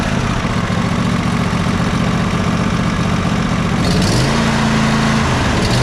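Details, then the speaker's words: Riding mower twin-cylinder engine after valve adjustment and starter hang-up repair, plug carbon-fouled, smoking: pulls to steady high-speed drone at full throttle, both cylinders firing evenly, no miss; normal full-throttle run. "let's fire it up at Full Throttle and see how it sounds"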